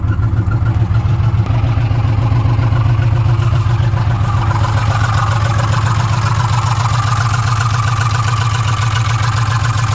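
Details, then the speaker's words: 2006 Ford F150 5.4L V8 with code P0016, bank 1, warranty inspection at idle: fast light clatter about four per second over steady idle, suspected top-end valve train noise around cylinders 2 and 3 at the back. Not confirmed. "In the valve train up top. And somewhere in this area, so 2 and 3. That's just, I mean, that's about where the noise is coming from. That's what I'm getting at. It sounds like a valve train noise back there."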